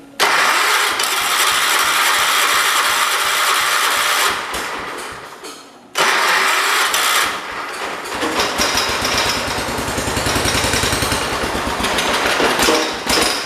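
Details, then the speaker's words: John Deere 212 donor garden tractor, being started on a borrowed battery with front lifted: repeated cranking with brief sputtering catches that never settle; owner thinks the carburetor needs adjusting, sparking seen underneath. Cause suspected, not confirmed. "We had it though, we were close. Got to dial it in. It might need a little bit of adjusting."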